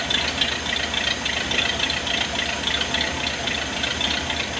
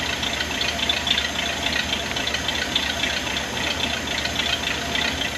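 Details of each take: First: 1979 Ford barn-find truck, first crank after the fuel pump and fuel lines were installed: the engine catches and holds a steady, even idle on its own fuel pump, with no misses or knocking. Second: 1979 Ford barn-find truck, carbureted, first start-up: steady idle with a fast, sharp puffing tick, a blown exhaust manifold gasket.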